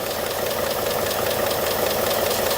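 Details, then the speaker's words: 2018 Ford F150 5.0 Coyote V8 at idle: fast, steady light rattle with hissy edge from under the engine; clogged PCV valve with rattling check ball, while a separate engine noise remains unexplained. "Yeah, there's a clogged up PCV valve. I can hear it and I can feel it. There's something in there."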